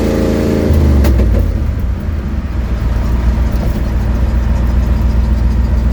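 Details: Ford Mustang 1972 with an exhaust leak, driving home, phone mic on the dash: engine revs up then settles to a cruise, a loose chuffing pulse riding the low rumble.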